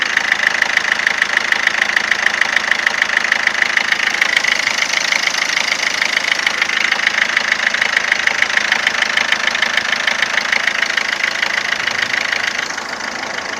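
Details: 2007 Ford Fiesta 1.4 TDCI 69hp diesel at idle: steady, sharp, evenly spaced knock around three per second riding over the idle; abnormal engine knocking, source not yet pinned down.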